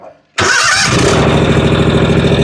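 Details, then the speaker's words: John Deere 757 Z-Track zero-turn with new starter and new air filters: cranks, catches on sprayed 50:1 fuel and rattles into a rough, uneven run, then dies without it; fuel starvation. "I think we got a fuel problem. Bleh, just dies. I think we got a fuel issue."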